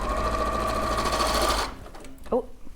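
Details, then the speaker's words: Sewing machine seaming a bag bottom straight across at quarter-inch seam allowance; fast needle chatter with wavering tone that sounds wrong, fabric gathering; abnormal stitching noise, cause not confirmed. "doesn't sound great does it oh that doesn't sound right"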